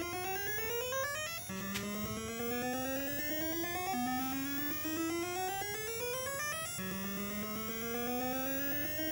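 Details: Defender arcade sound board with all caps, voltage regulator, crystal, bridge rectifier and PIA replaced: a rising sweep repeats every two to three seconds without stopping. The fault is isolated to the sound board, since a board swap fixes it.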